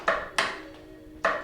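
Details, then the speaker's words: Murray Select riding mower (similar to Craftsman/MTD lawn tractors) that normally starts: turning the key gives only a few sharp single clicks and the engine never turns over; the starter solenoid has failed and needs replacing. "Pretty much every riding mower is going to have a starter solenoid, and what we have is when you turn the key, there's jus"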